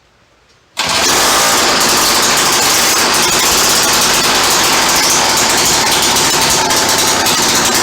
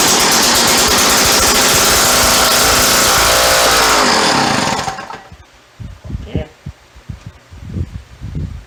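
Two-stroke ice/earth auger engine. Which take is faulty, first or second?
second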